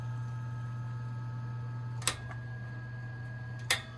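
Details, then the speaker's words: Vintage Air King PL20P box fan motor, after cleaning, oiling the bearings and realigning them so they don't bind: a low, even hum with no grinding and only a couple of stray clicks. Normal, quiet running. "yep nice and quiet"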